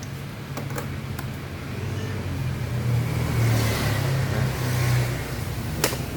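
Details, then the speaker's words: Honda BeAT FI scooter on the electric starter: it whirs and turns the engine over steadily but won't fire, with the battery nearly dropping; it starts at once on the kick starter. "kalau misalkan di starter dia susah nih tuh jelas ya kalau misalkan di starter dia susah tuh bahkan akinya ini udah mau ngdrop lagi untuk akinya"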